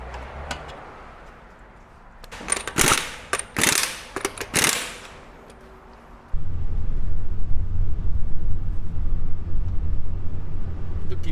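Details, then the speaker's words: After repair, car over rough road and speed bumps: only steady low tyre rumble, no rattle or clunk; wheel-area rattle had worsened over 5–6 months and persisted after shock absorber replacement. "Tiếng ồn mà chúng tôi nghe thấy trước đây đã biến mất hoàn toàn."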